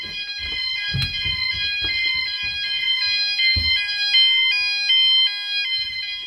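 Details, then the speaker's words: E.M.S. FirePoint 5004 fire alarm system in a house, triggered by a test fire/smoke: one sounder starts and the others join, several shrill beeping and warbling tones together, system working as it should. "that started and then you can hear the other ones have started in the background [Music] all the other Sounders are going off as well"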